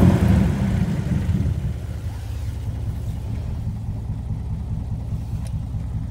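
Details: 2002 Jeep Wrangler 4.0 with uneven, lumpy rumble sagging after a brief rise: bogs under acceleration, rough idle, no codes, despite new injectors, PCV valve, MAP sensor and cleaned fuel rail.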